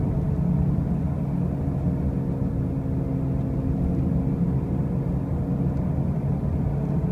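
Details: 2005 Pontiac Grand Prix with brand new wheel bearings and new tires: a heavy, constant low rumble drones under the road noise while driving; the source of this loud rumbling noise is unclear.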